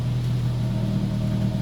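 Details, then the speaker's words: 2004 Nissan Sentra Spec V with a JDM swapped QR25, cleaned factory stock exhaust refitted: even, steady exhaust drone with a smooth low rumble and no ticks, rattles or blowing; quiet enough to talk over, normal exhaust note. "right now sounds just like the light sentra did same exact exhaust and motor so it should um that's nice i can talk over it"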